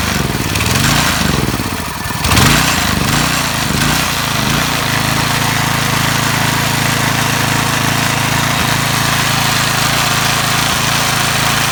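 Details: Briggs & Stratton 3 HP engine on an MTD edger, first start after repairing the recoil starter clutch whose cap was unsealed and ball bearings dislodged: a few uneven pulls and sputters, then it catches and runs steady and even with no squeal.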